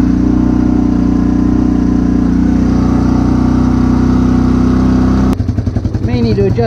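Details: Old used machine started with the choke on while warming up: loud single-cylinder thumping at a fast choke idle, a bit uneven, then the revs change. It still needs tuning.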